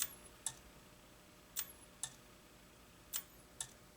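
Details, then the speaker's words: Clicking relay on a dead-out-of-box NOS Makvision 3129 27/29" arcade monitor: crisp paired clicks about every 1.5 s as it tries to energize the horizontal output transistor, about 70 V at HOT; cause a bad solder joint. "hear it we got a bad solder joint but now it's clicking and it's trying to energize our hot"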